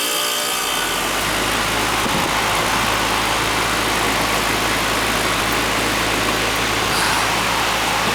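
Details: Goodman AC condenser running in cooling mode after its leaking A coil was replaced and a wire readjusted: a steady fan whoosh with a low, even motor hum, no rattles or clanks. It runs smoothly.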